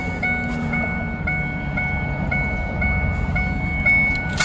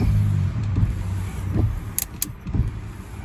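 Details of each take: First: 2002 Ford F150, key out and radio staying on: steady high chime beeping about twice a second and never stopping; chime sounding constantly, traced to a faulty wiper motor back-feeding the circuit, not the ignition switch. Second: 2002 Ford F-150 after replacing a bad wiper motor that kept the radio and chime on: wipers sweep smoothly about once a second over a low idle hum, no grinding or clicking; washer pump also works. Normal wiper motor operation.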